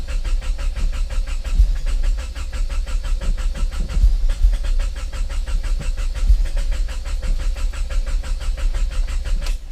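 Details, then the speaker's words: Turbo Honda Prelude with Hondata, first start after winter storage on recharged battery; steady cranking about three compression beats a second, never fires; spark plugs found soaking wet, owner suspects no spark, not confirmed. "I think I might have found the actual problem not 100% sure yet but I removed the the spark plugs and they're completely wet so I guess that there's maybe no spark"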